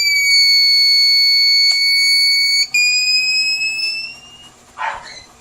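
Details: TBE 2000 W power inverter with no output under repair: a piercing continuous high-pitched buzz holds a few seconds, then dips and fades as the protection alarm trips during PWM/SPWM gate-signal testing.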